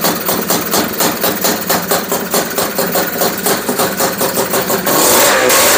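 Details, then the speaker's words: Honda Odyssey FL350 two-stroke, first start after installing a DG exhaust, on VP racing fuel: runs steadily with a slow, loping idle of about two pops per second, idling a little low. "how does that sound to you guys i think it's idling a little slow though"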